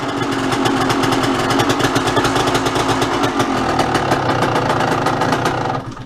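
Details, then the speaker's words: 125 dirt bike, cold-started in winter with very little fuel after a series of fast kicks: rapid, even raspy popping idle held steady for about six seconds, running fine on choke. "It's winter. This thing has almost no gas. Gotta love that sound, right?"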